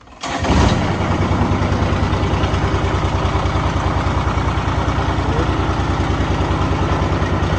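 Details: Kubota diesel, now got working: quick start, then even idle with steady chuffing beat, no knocks or misses; healthy.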